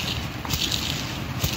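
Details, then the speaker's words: Worn bearing from a Honda power steering pump, removed during rebuild and spun by hand: steady gritty, crackling rasp, unlike the quiet new replacement bearing. "so I wanted to show you folks how beat up this bearing is just check this out listen to that can you hear that"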